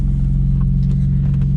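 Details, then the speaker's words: US-spec Volvo 960, probably 1994, recorded inside the cabin while cruising: heavy low droning hum much louder inside than it should be; smooth on the road but needs exhaust work, likely an exhaust leak. "is very smooth on the road, but as you can probably hear, it needs some exhaust work. It should be loud outside the car, not inside."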